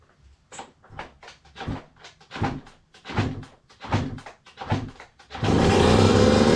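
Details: 2002 Yamaha YZ125 two-stroke that sat a long time, running with choke on: quick throttle blips about three a second, then a steady high rev with a crisp clean note, no knock or clatter; crank sounds good.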